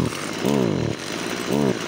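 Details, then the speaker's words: Stock Stihl FS55 trimmer that idles and starts well: on throttle the note climbs briefly then sags and falls back, won't rev out cleanly; bogging, air leak via carburetor accelerator pump suspected. "Посмотрите нажимаю на [музыка] ГАЗ очень многим Знакомая ситуация ребята"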